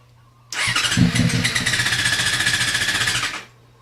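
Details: FZ6 no-start: fires up on starter fluid, runs rough and lumpy, barely holds idle when feathering the throttle, then dies; it dies immediately if throttle is applied.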